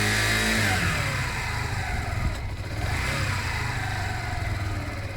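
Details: Zontes Mantis 125cc small single during a one-day rebuild, choke now off as it warms: settles from a rough start into a steady even run with light regular pulse; normal running.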